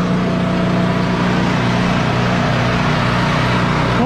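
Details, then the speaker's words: Champion 4000 W surge / 3500 W running generator just started on choke after cleaning a clogged carburetor: steady, even engine drone with a firm low hum, no misses or surging; voltmeter shows 110–120 V, running smoothly. "we'll find something to plug in and make sure it's working properly but it sounds like it's running good"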